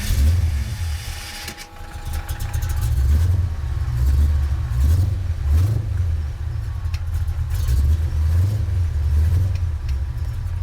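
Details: 1983 Ford Fox-body notchback coupe 5.0 V8, cold start with a gas pump: deep, lumpy, uneven idle surging and sagging every second or two; owner blames the non-vacuum-advance distributor for poor cold running, says it idles fine once warm.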